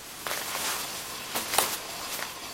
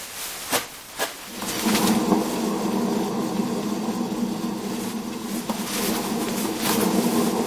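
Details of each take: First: Hand-spun front wheel of a Suzuki Jimny JB43: soft, airy swishing with no rumble or grinding, only the disc rubbing the pads; wheel bearing is good. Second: Suzuki Jimny JB43, raised front wheel spun by hand: a couple of knocks, then a steady rough, gritty growl from a dead front wheel bearing; the other side made only disc-on-pad rubbing.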